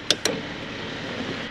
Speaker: and then I installed the uh foot pedal switch here so I use that to uh move these pedals in and